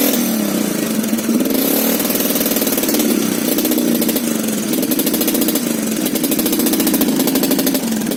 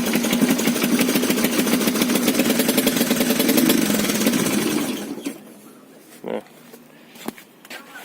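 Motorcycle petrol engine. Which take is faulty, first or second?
first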